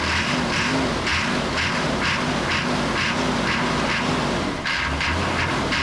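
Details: 1988 Chevy C2500 with a 6.2 diesel and Banks turbo, over 400,000 miles, long sitting; it cranks with a gas-soaked rag in the air intake, catches and settles into a steady, even diesel clatter with no missing beats.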